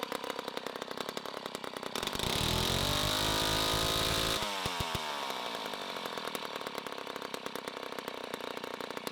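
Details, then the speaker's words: 1960s Homelite C-51/XL-12 vintage two-stroke chainsaw, revived, started with choke: a loud, rough idle flares to a high scream, then drops back to an uneven burble. It is running a little rich and may be low on fuel. "it is a very loud saw for now it is running a little rich but for now we're going to move on to the other xl12"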